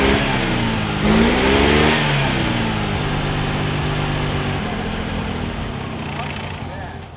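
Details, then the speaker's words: 1988 Mazda FC RX-7 rotary, abandoned car just revived and low on oil pressure: revs flare and sag, idle wobbles unevenly and won't settle; rough misfiring idle, owner hopes fresh gas will help. "so hopefully the new gas will help it run better cuz it's kind of running terrible right now"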